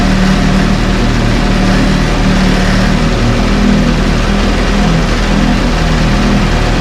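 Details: 1968 Evinrude Fastwin two-stroke outboard, first run, just put in a test tank with fuel, no work done: steady idle with even buzzy firing, no misses or knocks; healthy, great heartbeat.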